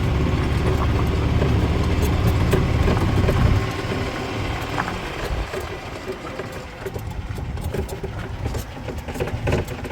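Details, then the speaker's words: 2008 Yamaha Drive G29 gas golf cart after a prior backed-out head bolt repair, driven: the engine pulls steadily under load, then eases back to an even idle without shudder or slip noise; running smoothly. "wow this is like super smooth and it'll back off it'll continue to idle and you see ease into it"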